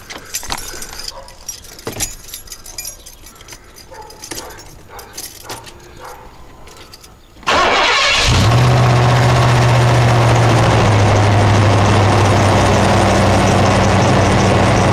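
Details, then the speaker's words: 1990 Ford Bronco 5.0 V8 with AOD, cold start after sitting two days: steady knock about four beats a second lasting 5 to 10 seconds; owner diagnoses a rod knock and also has a failing water pump bearing. "did you hear the rod knock gone down it only lasts like 10 seconds five seconds"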